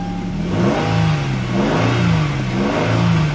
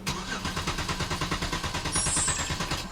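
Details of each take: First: 2011 Hyundai Genesis 3.8L after fuel supply line refit: several slow cranking pulses, catches and settles into a steady even idle with no stumble; normal start and idle. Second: 2011 Hyundai Genesis 3.8 L, crank no start: cranks evenly at about three beats a second without catching, no mechanical or compression issue suspected; failed fuel pump found.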